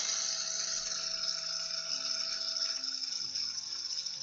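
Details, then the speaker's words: FTX Outback RC car gearbox and small motor on bench power supply at about maximum after oiling motor bearings: steady high-pitched whine with hissy gear buzz, running freely but a bit noisy; normal gearbox run at full speed. "running five bit noisy as I say if I slow right down oh yeah one and a half volts and she's spinning away quite happening a bit"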